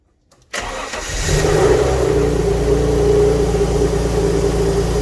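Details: Alfa Romeo GTV V6 first full start after mechanical restoration, awaiting a new exhaust gasket; engine settles into a steady fast run with rapid puffing chuff, exhaust blowing at the unsealed joint, smoke from oil burning off; exhaust leak.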